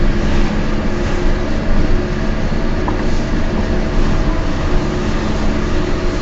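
Steady low droning hum under road noise while cruising, holding an even pitch at this speed; sounds like a worn wheel bearing. Cause suspected, not confirmed.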